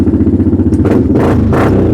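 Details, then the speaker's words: Viking UTV with the rear muffler baffle rotted off: loud, throaty pulsing exhaust with a raspy bark on each throttle blip, now sounding like a big block. "The muffler, the back of it, the baffle, rotted off. So now she sounds like a big block."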